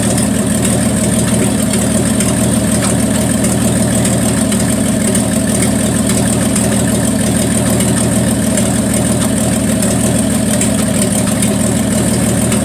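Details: 1974 Plymouth Duster slant six, cold start at 21°F: a lumpy idle with dropped pulses, a clear miss. The owner suspects the valve train is too tight and plans to adjust the valves; cause unconfirmed.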